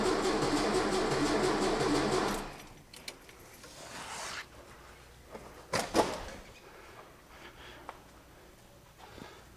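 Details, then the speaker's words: 1966 VW Fastback engine, first start after reinstall, car off road since 1979, battery connected: starter turns engine evenly about two seconds with no firing, then stops; cranks but won't start, owner wonders about fuel and voltage. "all right just turn this key huh you're kidding me that starter is not happy are we drawing fuel maybe"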